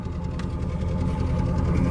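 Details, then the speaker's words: 1998 Chevy Silverado (Vortec V8) exhaust at idle after heat cycling: a deep, even burble with no misfire, skips or pops; earlier heavy water condensation from the exhaust had raised fear of a blown head gasket but stopped once warm; doesn't smell rich. "exhaust you can listen to that hopefully you can hear it there's no misfire"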